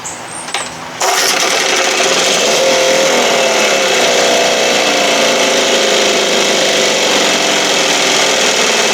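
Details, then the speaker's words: 1968 Evinrude 6 HP outboard at high speed: small two-stroke buzzing with a wavering note, revs climbing and dropping back, all over the place; possibly debris in the carburettor, and excessive play noted. Rough uneven running. "high speed there it goes right back down again it's all over the place"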